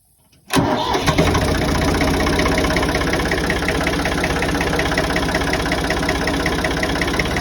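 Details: Ford 4610 diesel tractor started after its leaking fuel injector return line was repaired with small-engine fuel line: quick crank, catches at once and settles into an even, steady idle of about 160 beats a minute; no leaks so far.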